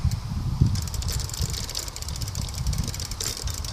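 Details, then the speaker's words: Bicycle pedals spun by hand during a safety check: irregular dry clicking and rattling, uneven each turn; chain partly coming off the sprocket. "as you can hear it does not sound very good and I think I can know where it is"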